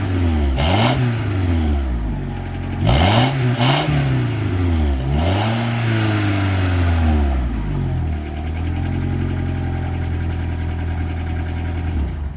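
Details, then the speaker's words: 1998 Honda Accord after a muffler replacement picks up cleanly through several blips and settles back to a steady, smooth idle with no leaks or rattles. Normal revving. "Sounds a little deeper. I mean, you can really hear the engine noise still, but at least the air is coming out of there, not straight into the trunk. Give it a few revs."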